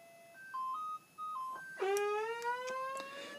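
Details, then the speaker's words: Minelab GPX 4500 detector, upgraded, rotary encoder fixed with electronic cleaning solvent, switched on holding the switch for factory reset: short run of stepped beeps then a rising gliding tone; normal factory reset tones. "I'll hold the switch down to put it into factory reset mode."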